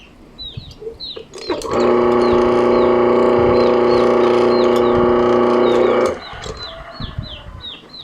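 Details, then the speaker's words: Ice crusher that hummed but would not spin, after replacing the power cord and starting capacitor: motor starts cleanly and holds a steady, even hum about four seconds without grinding or struggle; running normally after repair. "So okay na siya mga kalikot. So yun lang yung sira niya mga kalikot."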